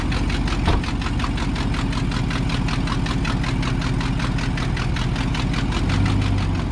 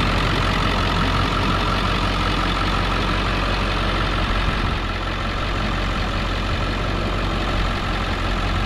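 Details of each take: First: Work truck bought at auction, 93,000 miles, check engine light on, idling: quick even ticking about five a second with hissing, louder than it should be; exhaust manifold leak tick at rear cylinder, suspected broken or missing manifold bolt. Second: 23-year-old diesel work truck with 134,000 miles, bought at auction. Its batteries were dead and needed jumper packs; possible valley leak and slight oil pan drip. It started right up, drove and shifted fine. Even, rapid diesel clatter at a steady, healthy idle.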